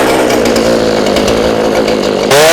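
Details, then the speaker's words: Warm gas chainsaw (40:1 fuel mix, no choke needed) cutting wood with proper pressure; steady even note holding pitch in the cut, then climbing cleanly as it frees, with only a little smoke; normal cutting. "Okay. So, you saw how it kind of dug into it and there was a little bit of smoke, but not too much."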